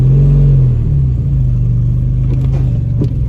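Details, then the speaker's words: Audi TT with decat exhaust, struggling to climb the ramp: low, lumpy uneven rumble that stumbles and shakes under load without picking up. Misfire, a dead cylinder from a holed piston. "this is dead you see it shaking"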